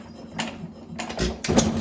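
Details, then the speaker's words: 1920 1.5 hp Alpha DeLaval (John Lauson Frost King Jr) hit-and-miss engine: soft, spaced thumps with long quiet coasting between firings and no knocking. It runs well, with main and crank bearings deliberately adjusted very loose. "Well, that's a John Lauson engine for you. I mean, it really does run nice. It's got a nice lag. Like it'll turn a lot of revolutions before it fires again,"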